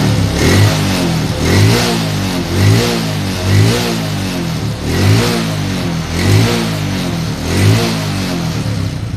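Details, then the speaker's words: Motorcycle just after reassembly: crisp throttle blips roughly every second and a half, revs rising and dropping back cleanly to a steady idle; very responsive, engine healthy. "Oke teman-teman jadi untuk pemasangan rkn sangat responsif sekali kita gas sangat enak teman-teman ya"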